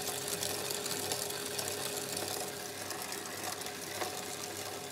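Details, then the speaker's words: Bicycle chain with wet lubricant after dry contamination is added: steady gritty hiss and grinding as the grit is absorbed into the lube, expected to continue about 10 minutes before slowly dissipating. "we can hear that grinding away there's so much more has been absorbed and it's just continuing on and continuing on"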